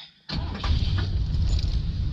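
Quiet, then a short crank and the engine catches at once, settling into a steady low rumble; clean, healthy start.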